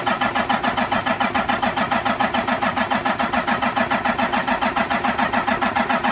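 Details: Cummins M11 diesel semi truck after fuel filter change, during priming: fast even starter chugging with no firing or catch; fuel system not yet primed, air in it.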